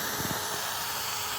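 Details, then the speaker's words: Maple sap line vacuum leak at the woods, sap barely flowing near 38°F: steady airy hiss without rhythm from air sucked through a crack in the top of a tap spout; spout to be replaced. "there's a crack in the top of this spout right here here if I Lay My Finger over it now I'm sure you can hear it but that is our problem or one of our problems"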